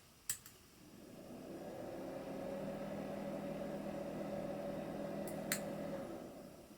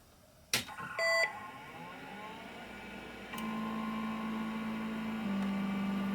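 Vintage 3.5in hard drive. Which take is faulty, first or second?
first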